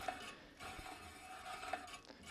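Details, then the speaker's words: Bicycle wheel spinning in a Park Tool TS-4.2 truing stand, pointers below the rim: a faint scraping rub about every 0.7 seconds, once per turn, marks the rim's high spot. "and the rubbing is a high spot where the rim is too high and the where it's not rubbing is a low spot where the rim is low"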